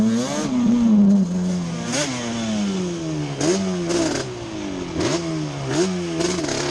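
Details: Yamaha Banshee two-stroke twin ATV after a misfire chase (new NGK plug caps, temporary eBay coil didn't cure it): carb needles moved back to middle position, revving up and falling back repeatedly, pulling cleanly without stumble; miss gone, running normally.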